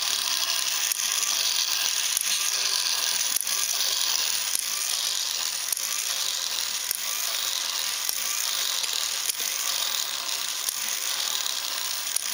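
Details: Ornithopter gear train driven slowly by an EastSky motor of roughly 4200–5000 kV with a 10-tooth 48-pitch pinion: sharp clicks about once a second over a high motor hiss; glide locks ratcheting normally, blocking backward rotation.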